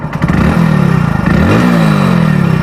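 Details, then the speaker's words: Hero Splendor Plus BS6 motorcycle, about 22,300 km, revving: a light chattering metallic rattle from the cylinder head rides over the single-cylinder exhaust note. The owner suspects timing chain noise; not confirmed. "सुनना भाई लोग सुनना यह चर चर आ रहा है"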